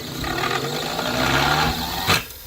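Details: Second old motor after new 6203ZZ bearings, at 60 Hz: harsh rough roar with a scraping edge that swells, then cuts off. Sparks are seen from the rotor making physical contact with the stator, so the rotor is rubbing and the motor is finished.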